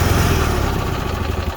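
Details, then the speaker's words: Marquis 7000 generator after fixing low-voltage fuel pump with a boost converter, run with fuel shut off to burn the carburetor bowl dry: small engine chugs steadily and evenly, no stumbling or misfire; runs properly. "so you want to make sure you run it and then shut the fuel off until it shuts off on its own so that you burn off all the fuel in that bowl and it doesn't clog up"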